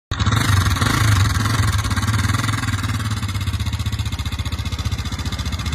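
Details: Motorcycle engine idling with a rough, uneven beat and light tapping over the exhaust thump; abnormal noise suspected from pushrods, not confirmed.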